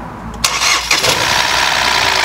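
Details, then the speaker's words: Ford EcoSport 1.5 three-cylinder with oil-bathed timing belt, 60,000 km: starter whirr, then a busy rattly knock from the top of the engine right after start-up; suspected VVT phaser pulleys knocking from lack of oil. "olha só escuta Esse barulho tá vendo mostrou funcionando essa batedeira que tá em cima do motor Muito provavelmente é que tá faltando óleo nas polias vvts então elas estão trabalhando batendo"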